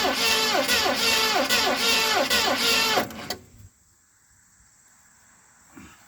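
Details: 1970 Ford Mustang Mach 1 start attempt after turning the loose distributor and refilling the carburettor bowls, weak battery: starter churns about three beats a second for three seconds, never catches; timing or spark suspected.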